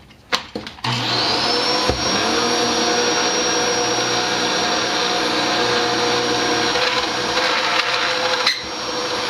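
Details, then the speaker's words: Dyson DC07 vacuum sounds normal until the brush bar clutch is engaged, then a loud steady high-pitched scream rides over the motor whine while the bar still turns; owner first suspected the clutch, later the brush bar bearings. "when you engage the clucks on this thing it just starts screaming it's not bound up the bar still turns but it sounds awful"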